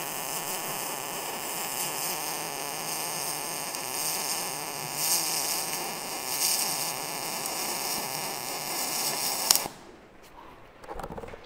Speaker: so that's spray transfer 910 shielding gas um quarter inch plate 27 volts uh 425 in per minute it seems to be running good